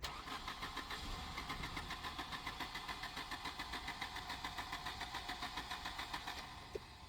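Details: 1988 Volvo 240 with LH2.4 fuel injection, cranking after a previous start-then-cutout: steady starter cranking at three to four beats a second, fuel pump humming, no catch; cranks but won't start, fuel delivery suspected.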